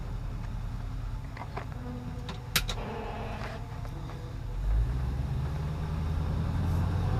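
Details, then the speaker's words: LS-swapped Nova: scattered ticks at idle, then a low droning hum swells in and holds; intermittent engine noise of unknown cause, which the owner notes coincides with the fuel pressure doing something weird. "every time it makes that noise my fuel pressure and it does something weird [Music] I'll tell you in a second this is the noise I'm talking about"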